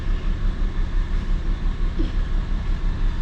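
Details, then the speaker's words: 2004 BMW 325xi automatic with the check engine light on: a low idle with an uneven pulse about three times a second, running rough and shaking from an engine misfire. "as you can see check engine lights on i don't know if you can tell or not it's running a little rough can you feel it shaking"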